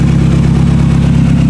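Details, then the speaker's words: 2000 Toyota Camry idling after an ignition coil replacement: loud, deep, pulsing exhaust roar with fast low thumps because the flex pipe is totally rotted out, leaving almost nothing coming out of the tailpipe. "Yeah, it's loud now. It's definitely loud. You can definitely hear it. There's almost nothing coming out of the tailpipe because the flex pipe..."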